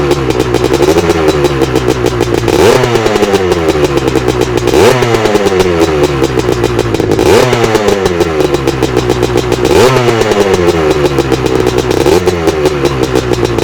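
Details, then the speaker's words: Fully restored 1983 Husqvarna 250 twin-shock two-stroke dirt bike: a crisp engine revving up and dropping back about five times, picking up cleanly each time; sounds healthy. "Okay, we've had a look at the bike, we've talked a bit about the restoration, so let's just get Alastair to fire the bike up and let's have a listen to what she sounds like."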